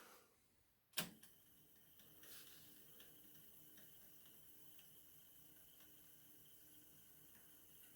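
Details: Pioneer CTF-1000 cassette deck after belt replacement: click as the key engages, then a faint steady whir with no squeal or flutter; tape rewinds smoothly, normal rewind.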